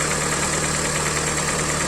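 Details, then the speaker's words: Hyundai i40, mileage 150 (thousand), idle: hollow rapid knock, piston slap. Teardown found scored second and third cylinders and metal particles in the oil; block to be sleeved and pistons replaced. "Hyundai i40 пробег 150 стук двигателя Запускай отчётливо слышен стук"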